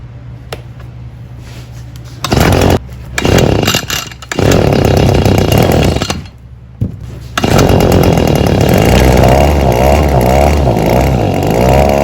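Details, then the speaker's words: Echo PB-2520 handheld two-stroke blower that won't rev up or hold speed despite a carburetor fitted last year, running during high-speed screw adjustment with limiter caps removed: cuts in and out, revs unevenly and surges, won't hold clean high speed. "customer says this unit won't rev up won't maintain and he had a carburetor put on it last year"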